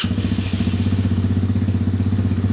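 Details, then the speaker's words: Apollo 250cc Chinese dirt bike, cold start with the exhaust completely cold, after an electrical repair for no spark: quick catch, then a steady, even single-cylinder putter with no misses or knocks; clean cold idle. "It's running good. Starts right up. That's a cold start. Like I said, the exhaust is completely cold. That is 100% cold. Cold start."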